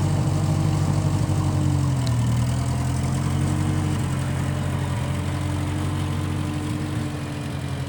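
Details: 1955 Massey Ferguson MF65 tractor, in family 30+ years, restarted after sitting a couple years; carb cleaned, Marvel Schebler carb may need slight dialing in. Low, steady idle drone sagging slightly toward end, no knock; normal idle.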